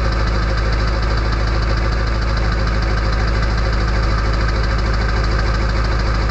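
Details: Early 1999 Ford F-250 diesel cold start at 34°F on high idle with the exhaust back pressure valve (EBPV) closed: loud, even clatter at a fast, steady idle, about three knocks a second; normal before warm-up.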